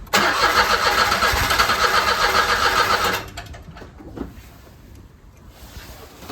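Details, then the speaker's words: 2008 Smart Fortwo 451 that sat about 3 years, first start attempt with new battery: three seconds of brisk, regular cranking, about 3.5 beats per second, never catches; owner suspects no fuel or 3-year-old stale fuel. "Almost. Sounds like it wants to go, but there's probably no fuel, or the fuel is probably 3 years"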